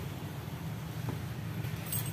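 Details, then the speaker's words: Yamaha Bison motorcycle with stuttering, backfiring and black smoke, after carburetor air screw adjustment: low, steady putter with even firing and no misses or pops; idle now fine, but it still stutters when riding. "kalau stasioner sudah oke tapi kalau buat lari masih belum"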